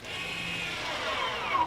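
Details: Electronic parking brake being applied: a short, steady electric whir of about two seconds as the caliper motor applies and stops cleanly, after which it is locked on; normal parking brake motor operation.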